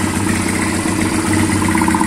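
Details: Yamaha Fazer 150 motorcycle idling evenly with a steady mid-pitched beat and no growl, after unplugging the faulty stator that caused a bearing-like growl.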